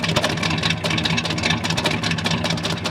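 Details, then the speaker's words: Four-wheel-drive V8 project truck with dual exhaust (originally about 300 hp), automatic, exhaust note: deep lumpy burble at steady idle, even firing with no knocks or misses; sounds healthy. "we'll do an exhaust note guys you can listen to you can listen to it see what it sounds like there it goes uh-oh it does have that good V8"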